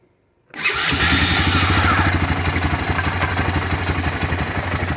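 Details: Honda FourTrax 300 ATV, fuel-injection swap with smaller injector, rebuilt fuel system (cleaned pump and regulator, new filter) after long storage: silence, then the single catches instantly and settles into a steady, even idle of about four beats a second; starts cleanly.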